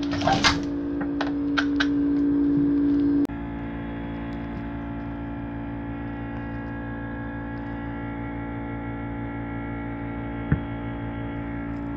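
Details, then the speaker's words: Old GE refrigerator with loud steady compressor hum that never stops, getting louder over two days; condenser fan at rear had stalled, letting compressor overheat, though fridge still cooled. "hello everybody this is my general electric refrigerator it's been making this humming noise that you hear for a long time now and it wasn't stopping and even though the refrigerator was working i took the back off and this fan right here that's turning right now it wasn't turning"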